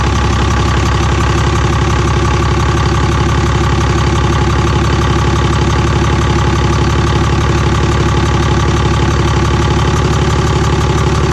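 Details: Cummins diesel truck just after P-pump swap, running with the intake manifold off: steady idle with sharp even tapping about three per second from the open intake, normal for no manifold; engine runs clean.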